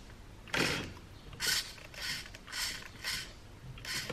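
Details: Redcat Everest Gen 7 RC truck with stock Hexfly steering servo, powered on and steered: six short high-pitched whirring bursts, one per steering input, over a quiet background; struggling steering servo.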